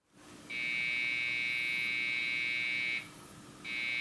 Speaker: so this one isn't working either it's making those beep sounds that sounds to me like a ram problem let's see if it has any no ram well it's gonna have a hard time starting then